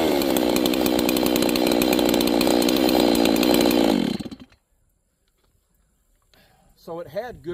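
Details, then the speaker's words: G660 chainsaw being retuned after a timing advance: fast, throaty, gurgly burble for about four seconds with no crisp throttle response, then it cuts out. The mixture is too rich; lean it out by screwing the carburetor screw in. "And it also had a very throaty, gurgly sound to it. It means it's rich. It's too much fuel. You need to lean it out."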